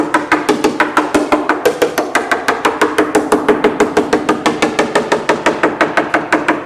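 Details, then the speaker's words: Bellanca Viking wood wing tap inspection around a glued repair under AD 76-08-04; crisp, even taps about three a second, sharp and ringing with no dull spots: solid glue bond on tap test. "And that sounds good and solid."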